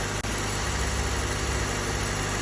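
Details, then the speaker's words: 2013 Honda Civic idling after replacing the battery fuse that caused a no-crank, no-start: smooth, even idle with a steady low hum, no knocks, misses or ticking; fixed. "it's now fixed and it's cost us 15 for the fuse"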